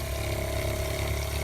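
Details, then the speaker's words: 1995 Damon Intruder RV fresh water pump, tank about a third full, house water off: low, steady laboring hum that runs slow and never builds pressure. Leaks and tank checked; owner suspects a possible air leak in the inlet pipe; pump to be replaced. "I don't know if you can hear it it's just running kind of real slow like it's trying to get some pressure built up but it just runs and runs and runs"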